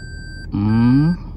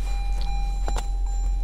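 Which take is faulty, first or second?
second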